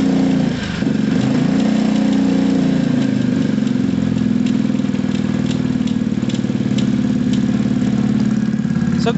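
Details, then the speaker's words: Gilera DNA 125 scooter engine ticking over slowly and evenly at very low idle, but it won't take any revs; cause suspected, not confirmed. A loose rear brake pad also rattles. "it's idling you know it's it's idling it's running on very low revs it doesn't like any revs at all"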